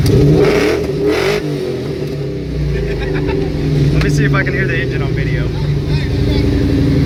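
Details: 2003 Ford Mustang Cobra V8 with a bad motor due for replacement (dead cylinder, burns oil badly, bad valve cover seals, knocking), revved: loud, uneven, lumpy beat stumbling as revs climb; dead cylinder misfire.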